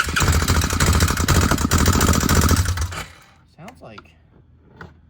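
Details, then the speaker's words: 2003 Suzuki Ozark 250 at rough idle: a rapid light ticking of three to four a second rides over the single, and the engine smells of oil. This is top-end ticking; valve clatter or timing chain is suspected but unconfirmed. "I think it almost sounds like it's valve clad but partially like with the timing chain too or something"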